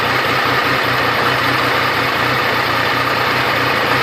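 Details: Triumph Tiger 885i triple at idle: uneven low pulses with a sporadic hiccup that occasionally stalls the engine; cause not yet found, owner hopes TuneECU will pinpoint it. Audio is loud.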